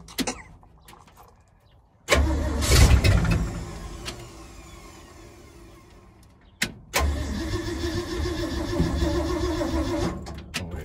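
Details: Freshly rebuilt carbureted truck engine, start after new fuel filter: starter catches, engine fires and holds a fast busy idle that never drops; idle control set too far, RPM too high, needs adjusting down.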